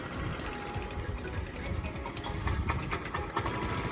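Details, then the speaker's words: Lexmoto FMS 125 after valve clearances were set and a new spark plug fitted, air filter off: ragged, uneven chuffing idle that sags and stumbles before picking back up; idle set too low and it nearly stalls, so it is turned back up. "Oh, it nearly died then. Nearly killed itself, so turn that back up a little bit."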